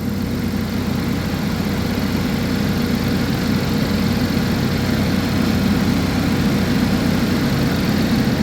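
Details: 2011 GMC Terrain (described as a Chevy Traverse) with a recurring P0341 cam code despite new phaser solenoids and cam sensors, idling while the cam and crank waveforms are checked: a steady, smooth low rumble with no misses, knocks or ticks. The check engine light is on.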